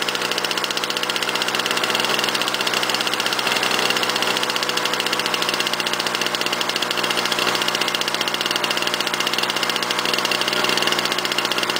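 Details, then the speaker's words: 1998 Lawnboy 10323 mower with swapped Duraforce 6.5hp two-stroke, cold start on choke; steady fast high-pitched buzz well above a relaxed idle, owner plans to adjust it: idle speed set too high. "I got itjust adle speed that's running a little bit way too fast for my liking"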